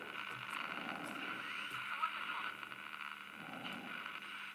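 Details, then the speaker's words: Philips transistor radio on medium wave, being restored: clear station speech comes through, small and tinny, with light crackle, showing proper reception. "this is medium life now even though there's no speaker spy you can hear speech come from the radio"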